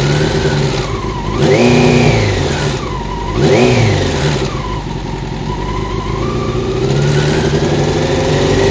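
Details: Honda CBR600 F1 motorcycle engine idling and blipped twice, with a rough mechanical rattle; problem found: worn cam chain tensioner.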